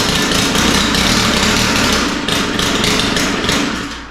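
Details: Stihl FS 91 R line trimmer: small engine starts and idles rough and uneven but will not take throttle or rev; carburetor trouble suspected.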